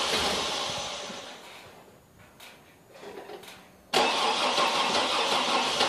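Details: Chevy TrailBlazer V8, 170k miles, cold start: long whirring crank that fades and stumbles without catching, then another crank burst; hard start, won't start, owner suspects dead cylinders.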